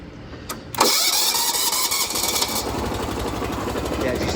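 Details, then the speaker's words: Car jump-started by a Gooloo A3 3000A jump starter after it aired up all four tires: brisk, fast cranking, then the engine catches cleanly and runs steadily; the unit still had plenty of charge. "do you see how fast it was spinning it too? That's, yeah, it had a lot of juice left."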